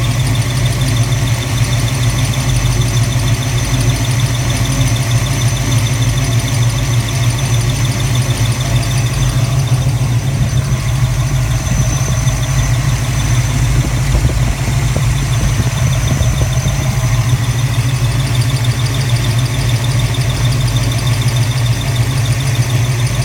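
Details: 331 V8 at idle, once at operating temperature: steady deep rumble with a faint thin, high continuous squeal from the rear of the engine; flex plate uncracked and secured to the torque converter, owner unsure if bearing.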